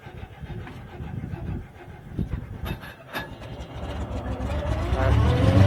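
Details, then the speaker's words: Owatonna 260 swather, first start of the season on a weaker battery: uneven starter churning, then engine fires, rises smoothly and settles; starts and runs well. "see it once you running it runs great or fires up great just that side of the head"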